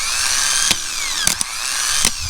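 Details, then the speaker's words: 1976 Dodge Xplorer 224 conversion van, starter jumped with a screwdriver after earlier starter trouble: fast whir sagging under load with sharp clacks as the gear throws in; starter cranking normally. "See, so it's kicking over, so you know it's kind of hard to do this with one hand, but I'm gonna have my foot right here, and then you see? You can see the starter starting."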